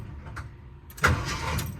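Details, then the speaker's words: 1978 Jeep Cherokee, sat for years, not started in at least a year, with new-looking battery cables and solenoid: the starter is bumped and gives a brief, solid crank that bites and spins cleanly; it engages normally. "that is a good sound"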